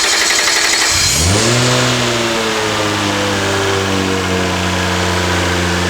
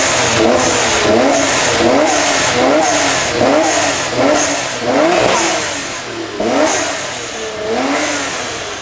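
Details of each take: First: R32 Nissan Skyline swapped from RB20 to HKS-built T3G twin-turbo 1JZ, very first start on drive-by-wire throttle controlled by laptop, no throttle control: engine fires, flares and settles into a steady, even hum, no knocks or misses; normal start and rev. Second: HKS-built T3G twin-turbo 1JZ swapped into an R32 Nissan Skyline (replacing RB20), first start, freshly calibrated drive-by-wire throttle on default map: revs blip up and fall back slowly, lagging the pedal; sluggish throttle response.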